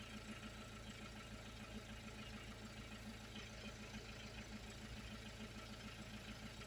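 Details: 2001 Peugeot 306 2.0 HDI diesel, running after the no-start was fixed by replacing the ECU and having it reprogrammed to the car. Quiet, even diesel idle with a steady, regular beat and no misses or knocks. Normal idle.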